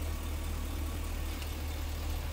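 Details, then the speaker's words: 2009 Chevy Express V8 after repair of a four-coil misfire (P0300) caused by a broken coil power wire, bypassed with an add-a-fuse circuit feeding the coils. The misfire is gone and it idles smoothly with an even, steady rumble. "Once I did that, the mist is gone. It's just as smooth as can be."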